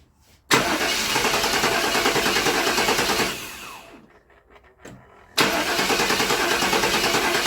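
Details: 1997 GMC Yukon 5.7 L, towed in, old gas being cleared, snap throttle tried: two long spells of steady starter cranking, about three turns a second, never catching; crank no start blamed on clogged injectors.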